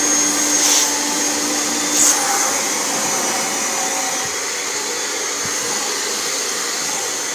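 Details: Kirby Generation 4 80th Anniversary vacuum after replacing suction fan: steady high-pitched rushing whine at constant speed, no rattles or surging, running full power; sticking safety switch held with screwdriver.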